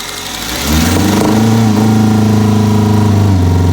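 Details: Toyota engine climbing from idle to a held higher speed with a slightly uneven, lumpy note, consistent with a misfire.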